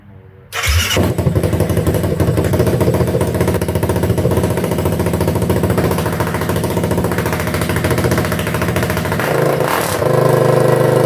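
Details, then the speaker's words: 2008 Kawasaki KFX450R fuel-injected, restored after sitting outside for years. First start without the muffler: it fires almost at once with little cranking and settles into a loud, open-exhaust idle that holds fairly steady. Healthy start. "hell yeah dude that's awesome man that was like uh didn't really have to crank over that much either oh well dude the pleasures of fuel injection"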